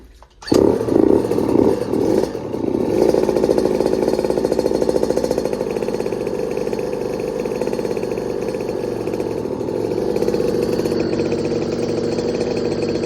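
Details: KTM 50SX mini two-stroke, oil injection deleted, first start after full frame-off teardown: catches quickly and settles into a steady, even rapid buzz with no stumbling or rattle; running normally.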